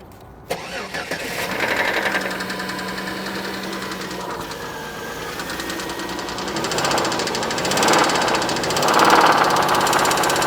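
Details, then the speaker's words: Family van towed in after overheating and knocking severely, started after a dead battery; engine catches, then a steady deep knock at three or four per second; bottom-end crankshaft bearings are worn, not the top end. "okay Warren I'll tell you what you're within two foot of the problem it's not in the top end it's the bottom oh really but you're only two foot off it's down here in the crankshaft all the bearings"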